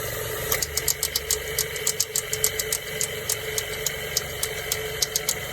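Sharp, bright clicks about once a second, irregularly spaced, over a quiet idle; the clicking comes from the AC compressor.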